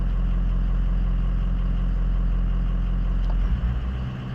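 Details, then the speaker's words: 2004 Ford F250 6.0 Powerstroke diesel, engine running: scanner-commanded high idle test, deep even rumble held at raised idle then dropping back to normal idle; two stored codes present, normal test behaviour. "Okay. It went into high idle. Same two codes, which is no big deal."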